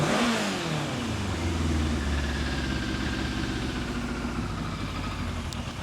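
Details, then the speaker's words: 1988 Yamaha FZ750 Genesis, rebuilt carbs, cold engine, likely dead battery: after a blip the revs sink and it cuts out dropping to idle; stalls at idle, owner suspects battery or charging system, cold engine also blamed. "Yep. I mean, it seems to run fine while there is power in it or if you keep the revs up, but as soon as those revs drop, it is cutting out."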